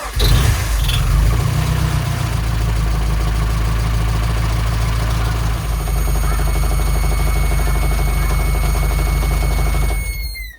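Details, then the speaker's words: Nissan 200SX S13 with CA18 engine, first start after wiring harness install: loud rough idle with a steady high-pitched whistle joining after a few seconds until shutdown, intake vacuum leaks from intake bolts not yet tightened. "well it starts but I forgot they got a lot of vacuum leaks because there's a lot of bolts I have to do up on the intake and yeah they were squealing like a pig but it started"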